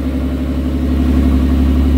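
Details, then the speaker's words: R33 Skyline GTST after cleaning idle air control valve and backing out the screw, engine cold just started, previously idled 300 rpm low with AFR 16+: steady even idle, smooth low hum, no misses; normal idle. "gotta give her a little gas nice she sounds good rich all right there we go she's alive"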